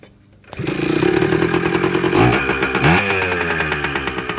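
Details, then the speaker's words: Kawasaki KE100 two-stroke, first start on choke after winter storage with the battery reinstalled: fires straight up into a crisp, ringing note, blips up and down cleanly, then holds an even idle; normal first start. "that's got a good sound to it"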